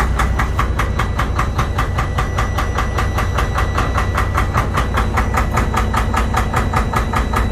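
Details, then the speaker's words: Detroit DD13/DD15/DD16 diesel with heavy smoke and no check engine light: sharp, regular knock about two and a half times a second over a steady idle; faulty injectors over-fueling the combustion chamber. "injectors were over fueling the system causing a lot of knock you will hear a little knock on the engine because this was having hard time to consume all the fuel that was getting injected to the combustion chamber"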